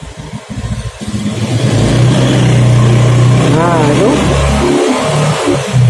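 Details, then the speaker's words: Honda Beat FI scooter lacking power, free revving: revs climb then stumble and sag around 4000 rpm before climbing, dropping again at high rpm; throttle position sensor suspected faulty, likely to be replaced. "di Kisaran 4000 RPM itu mulai drop makanya ini wah motor nggak akan naik kapan di tanjakan nggak mungkin"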